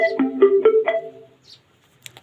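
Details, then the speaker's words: Bluetooth MP3 speaker switched on before repair: short rising run of bright bell-like notes, then silence; it powers up but the battery is low. "Switch जो है वो तो ऑन हो गया है, पर हम इसका ब्लूटूथ मोड लो बैटरी लो है इसकी।"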